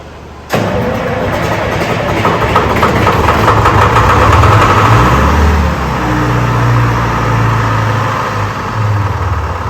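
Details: Detroit Diesel 4-53 two-stroke in a Wagner W4 loader catches after cranking, following oil being cleared out and the throttle reset to its original position, and settles into a steady, even idle with a deep rumble; healthy start and run.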